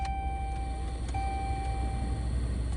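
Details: 2011 Dodge Ram 1500 (4th gen) heater blower motor on low speed, getting louder the longer it runs: steady thin whine over a low rumble, grinding noise; worn blower motor, to be replaced along with cabin air filter.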